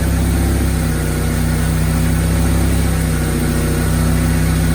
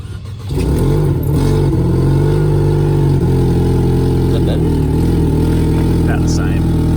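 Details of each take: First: Cheap Mercedes-Benz coupe after the repairs, including intake cleaner and a new hose clamp. Low, even, steady idle with no misses, hunting or rattles; normal idle. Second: Cheap unregistered Mercedes-Benz coupe with engine problems, after erasing codes. Loud noise suspected from the throttle body, and owners suspect it is not getting enough air. Uneven, lumpy, wavering idle, possible misfire; rough running.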